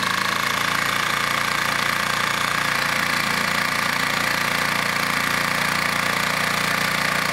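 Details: Vintage Flymo hover mower, governor spring shortened to run about 3,700 rpm, kill switch fixed, mowing frozen grass in snow: steady high two-stroke buzz at even governed pitch, no surging or dropouts; normal running.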